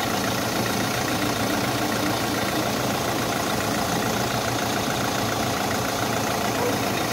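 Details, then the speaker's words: Kia Soul after drive belt replacement, checked from underneath: a steady, even idle hum with no squeal or chirp from the belt side; running smoothly. "So, sa ilalim, yun, okay na mga boss, wala nang ingay."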